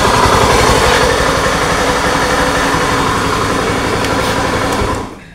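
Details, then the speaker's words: Honda Scoopy ESP scooter, owner complains of rough engine noise when running; harsh, gravelly grinding roar with no clean tone, with bearing, gearbox or CVT considered as sources. "teman-teman jelas suaranya jadi suaranya kasar seperti itu ngagerengseng pak ya"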